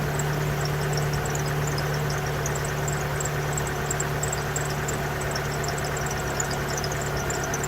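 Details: 1992 Pontiac Sunbird 2.0 inline-four idling just after valve cover gasket replacement, started to check for leaks; steady, even idle with a smooth low drone and no knocks or misses; engine healthy.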